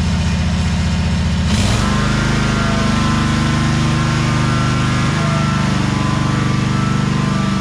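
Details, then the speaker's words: 2003 Wright Stander, 23 hp Kawasaki V-twin, after the wrongly hooked-up parts were fixed and adjusted: smooth, even drone with no misses; speed steps up cleanly and holds steady. The engine runs right. "So figuring it out here, and I get it working just the way it's supposed to."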